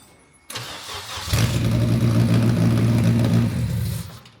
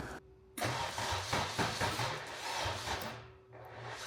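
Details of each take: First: Toyota MR2 with swapped K24 engine on Haltech Elite 1500 ECU, first start: starter whirr, then it catches and settles into a steady, even idle. Earlier no-start was cured by correcting the ECU top-dead-center angle setting. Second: Toyota MR2 with K24 swap on Haltech Elite 1500 ECU, first start attempts: starter whirs in uneven bursts, never fires; fuel leaking, 58 psi fuel pressure. Crank no start caused by ECU top-dead-centre angle set at 70° instead of about 310°.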